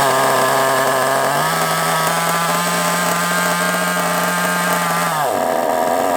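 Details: Kyosho MP9 nitro RC buggy engine, first start after sitting 2 years: a high buzzing whine holds a few seconds, then sags and falls away as if starved of fuel, running lean. Owner suspects a fuel blockage or a poor fuel tank seal.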